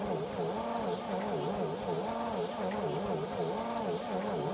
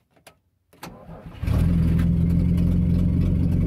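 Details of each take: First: 1950 DeSoto S14 flathead six, 6-volt system, first start attempt after long storage (last service record 1966): slow, labouring starter churn with audible compression beats, never fires; cranks but no spark, owner suspects trouble with cylinder four. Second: 1950 DeSoto S14 flathead six, crossed plug wires corrected, fed from a gas can via hose to the carburetor: short starter whirr, fires within a second and settles into a smooth, even, deep idle; healthy start.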